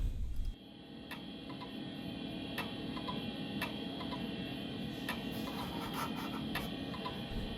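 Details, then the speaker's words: PC, first boot: sharp ticks about every half second over a quiet computer hum. Abnormal repetitive clicking; the hard drive is suspected but not confirmed. "Now that doesn't sound right, does it?"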